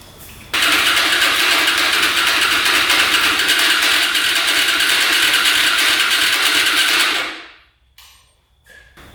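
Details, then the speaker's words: Hyosung Aquila 250 motorcycle: fast even cranking about three beats a second for seven seconds, never catching; engine flooding, gas puddling by the exhaust, later traced to faulty fuel pump line into manifold. "Alright, definitely flooding out. Don't know why that would be, but there's a huge puddle of gas right by the pipe."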